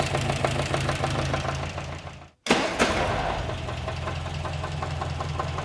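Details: 1954 MG TF, new owner reports a recently appeared concerning engine noise: steady idle with light uneven tapping about three per second over the engine note; engine knocking, cause not yet diagnosed.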